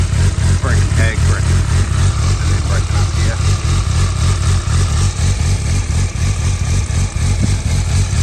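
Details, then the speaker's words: 2012 Suzuki GSR750 with 18,000 km and a carbon Yoshimura exhaust, dropped but with cosmetic damage only: deep, even, throaty four-cylinder note with a steady pulse and no knocks or rattles; a healthy engine. "oh does sound really really nice beautiful bite cool"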